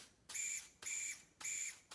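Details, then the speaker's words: Catch-can one-way check valve for 3/8-inch hose installed backwards on a constant-airflow test; short high-pitched airy hiss bursts about every half second as air still gets through, so the valve fails to block reverse flow. "the one-way valve isn't even working properly on it because air is still getting through"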